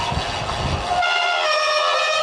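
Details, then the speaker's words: Bicycle disc brakes on a descent in Majorca give a loud steady high-pitched squeal, on the first ride after the winter layup with the bike stored indoors warm and dry; the owner doesn't know the cause. "about to descend down from um and you'll probably hear the brakes squeal and scream as we go down"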